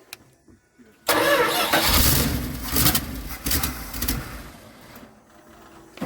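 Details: 1973 Dodge D200 pickup, 360 V8, 727 automatic, sat 8 years: a loud burst of cranking and sputter that never settles to idle. The pump moves fuel but none reaches the carburetor, so the bowls are hand-filled and throttle leans it out; fuel starvation.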